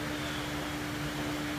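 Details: 2007 Volkswagen Jetta running rough and dying, codes P2279, P050A, P2231, P0171, P0300 all-cylinder misfire: uneven lumpy idle under steady hum from intake vacuum leak, found as torn PCV diaphragm in the valve cover.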